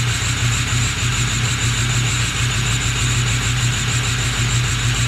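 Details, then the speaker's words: Ford 6.0 Powerstroke diesel on cold start, heavy smoke, no check-engine light but ABS light on: rough idle with the clatter stumbling about once a second; a misfire. Cause suspected, not confirmed. "definitely sound a little rough just now starting to pick up hold starts are great definitely smoke so quite a bit no check engine light on we do have an ABS light i definitely tell it's missing"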